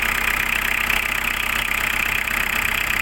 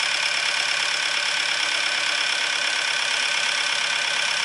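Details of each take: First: Diesel car that starts hard and stalls: loud, hard clatter ticking about four times a second over the idle; diesel knock from injection timing advanced too far. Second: Diesel after the chain and pump timing were checked and the cold-start advance regulator wire was powered and adjusted: steady, even idle clatter with no misses or surges; normal idle, pump timing right, engine running smoothly.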